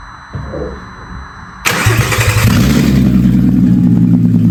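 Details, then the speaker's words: 3.2 VR6 from an Audi A3, swapped into a VW Caddy van, first start with no exhaust fitted: it cranks, fires at once and settles into a raw, very loud, shaking, buzzy idle. The loud running is from the missing exhaust. "I think I need an exhaust on there because that thing is fucking loud. Absolutely shaking and buzzing at the same time."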